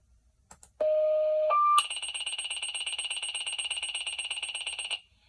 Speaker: the correct answer is three firefighters pager when we get a call we either receive it on a pager or on our phone